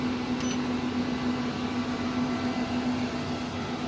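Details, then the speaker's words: 12k Growatt low-frequency off-grid split-phase inverter running an 18,000 BTU 240 V mini-split heat pump: steady airy whoosh with constant low hum, no rattle or wobble; internal component cooling fan running normally. "there's that fan that kicked down again you can hear running"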